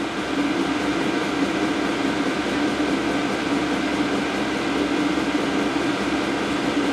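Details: Diesel heater after burning out burn-chamber crud from running diesel mixed with waste motor oil, set at 4.8 Hz pump setting; it started a bit wheezy, now steady even fan rush with faint ticking pump, no surging; burning smoothly, normal.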